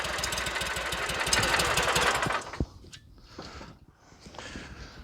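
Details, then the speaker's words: Dixie Chopper zero-turn with Generac engine, after runs-and-dies no-start repair, on a fresh battery: fires and runs with a brisk even beat for a couple of seconds, then throttles down; starts and runs normally. "well I tell you what I'm going to do is go ahead and just put this battery on charge we know she's fixed and ready to go"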